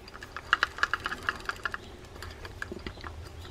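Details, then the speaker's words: Fishing reel in for service, handle turned by hand. A run of sharp, uneven clicks and knocks on each rotation. A knock when cranking, usually indicating a bridge problem but possibly just a loose handle; unconfirmed. "there's a knock going on here that's usually indicative of a bridge but it may just be a loose handle"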